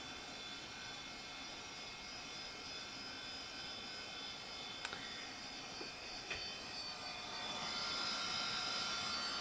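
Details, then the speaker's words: Dell OptiPlex GX110 (Windows XP, 256 MB RAM), unused since around 2006, being powered on: a steady airy whir builds gently with no rattle or grinding. The fan is good, though there is no hard drive activity. "like that Fan's good"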